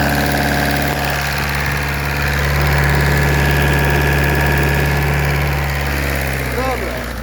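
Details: Volkswagen 1.9 TDI BLS diesel engine at idle: steady idle with a hard, even knock about three or four times a second; engine knocking, cause unknown.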